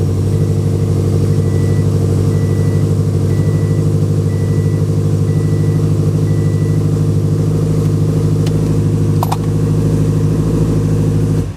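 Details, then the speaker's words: Subaru WRX fully built engine after fixing the timing (timing components): deep, steady, even idle rumble with the previous clicking gone, then switched off; owner still suspects a fuel delivery issue. "Well, that's good news. I didn't hear the clicking anymore, so I'm assuming that that's exactly what it was. It was an issue with the timing."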